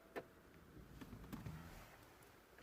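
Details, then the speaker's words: 2008 BMW 320d E90 central locking fault, where three of four doors lock but will not unlock by remote or console button; microphone close to the door: three sharp clicks inside the door as the lock motor runs on each press, but the latch doesn't release. "ting thing is I can hear the locks actuating inside the doors when I press the lock and unlock."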